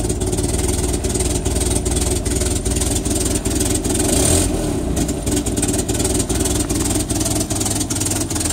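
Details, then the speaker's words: 1961 Land Rover Series II, after new muffler fitted, cold with choke on running rich: sharp puffing ticks about two and a half per second over lumpy idle; bad exhaust leak. "all right she is running now well here that exhaust leak is pretty bad but now I can blow the leaves away without deafening myself"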